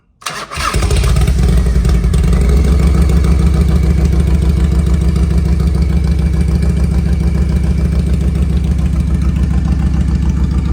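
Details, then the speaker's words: 1993 Harley-Davidson FXR-S with S&S 82ci V-twin, under 30 miles since restoration, cold on choke: fires after a few tries, then lumpy, uneven low idle thump that steadies slightly as it warms; cold-blooded rough idle. "it definitely cold blooded"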